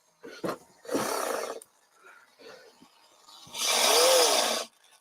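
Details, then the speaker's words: RC plane aileron servo on the workbench cycling; short rough buzzing bursts, last with a wavering whine, sounds like grinding in the gear train; owner suspects a bad gear, not confirmed. "so we got a wonky servo it's moving but it sounded really weird"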